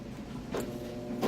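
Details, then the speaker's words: Maytag Bravos super-capacity top-load washer at cycle start; the lid locks, unlocks, then relocks before starting, heard as two short soft clicks about a second apart; normal lid lock operation. "It does this lock and unlock with the lid. So you have to give it a minute, and then it will relock and get started."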